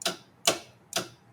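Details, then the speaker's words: Metal lathe after cleaning the lid interlock switch contacts with contact cleaner: crisp evenly spaced clicks about twice a second, no motor hum; switch clicks in and out normally, lid open pushes it in so lathe can't run. "clicking in and out. [snorts] And when you open the lid, pushes it in. So, the lathe can't run."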